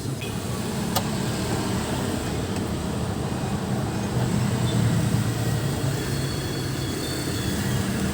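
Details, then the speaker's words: Sakura AV-735 amplifier with history of repair, relay fixed then sound degraded: steady rain-like crackle from the left channel with no input, traced to the front preamp stage; quiet when connector removed. "ayan oh parang may ulan ang tunog dito."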